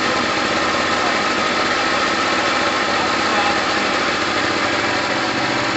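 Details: Gilera DNA 125 two-stroke scooter running with a busy, crackling, steady buzz and no coughing or stumbling, after a new fuel line; heavy two-stroke oil premix in red petrol. Normal two-stroke running.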